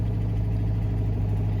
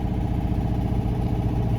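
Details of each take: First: Citroen 2CV carbureted engine just after starting with manual choke pulled: steady fast low drone with no dip or hunt, revs too high until choke is pushed in and they drop; high idle from excess choke. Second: Citroen 2CV carbureted twin, warming up on manual choke after cold start: low, steady twin-cylinder burble with even beat and no misses, choke adjusted to hold a smooth idle until warm, then shut off; normal warm-up idle.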